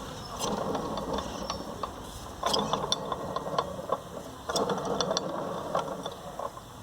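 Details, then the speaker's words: VW Beetle (Fusca) alternator and fan with the shroud removed: dry, uneven ratcheting grind with scattered clicks that continues clear of the shroud, from a worn alternator bearing. "Ah tá com barulho no rolamento do treinador eu não vou abrir agora para trocar o rolamento"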